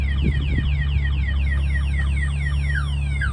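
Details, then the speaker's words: 2022 RAM TRX with aftermarket alarm and added kill switches armed, triggered by a knock on the truck: fast falling warble siren about four times a second over low engine hum, lights flashing; security alarm siren triggered. "The lights are flashing. You can hear that siren going off. They're not going to be able to cut the siren because they can't get to it."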